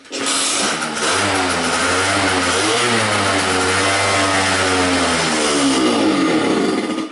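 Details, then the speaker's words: 50cc two-stroke scooter, lean no-start diagnosis, quick restart after stalling from about a minute's running, choke off: buzzy engine fires, revs and wavers, then sags and cuts out; spark seems fine, fuel supply or float suspected, unconfirmed. "that's it done start up again so I don't think we're losing spark"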